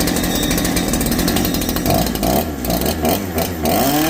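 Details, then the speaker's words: Holzfforma G372 chainsaw after crankshaft seal replacement for a factory air leak, running without the chain: it revs up and drops back cleanly with each throttle blip, now responding properly where before it was erratic. "I need to put the chain on it to be able to tune it but it's actually responding to what I do now before it was all over the place"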